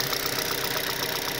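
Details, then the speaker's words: 2006 Mazda 6 idling around 1,100–1,500 rpm, microphone near cylinder 3: light, crisp ticking about ten times a second over an even idle from noisy hydraulic lifters, recorded while treating with an oil additive. "now I am putting it close to cylinder 3 because that's where a lot of the noise is coming from"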